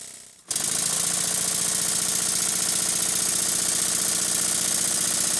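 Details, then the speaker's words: Stuart 7A model steam engine newly fitted to its steam plant base, exhaust pipe not yet connected: quick even chuffing, three to four beats a second, light metallic clatter; plenty of power, sounds better on the dense base. Normal running. "I think the engine sounds much better on the base body I won't connect to the exhaust pipe yet it's got plenty of power"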